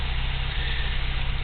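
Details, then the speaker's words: 1987 Toyota 4Runner 22RE, original ECU refitted, catalytic converters running red hot: low, steady idle with faint unevenness, an occasional miss heard at the exhaust pipe and slight rev wander; cause not pinned down, owner wonders about running lean. "in the pipe I can hear an occasional you know you know kind of a you know just what I would characterize always with every other hundred Vehicles I've had as a miss"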